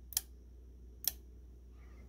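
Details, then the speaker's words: SDR transceiver board, RF switch relays with flyback diodes, energized in transmit and off in receive: three crisp single relay clicks about a second apart as transmit/receive is toggled, each clean with no chatter; relays switch normally. "Okay, so here we are zoomed in, and you can hear those relays clicking as I toggle between transmit and"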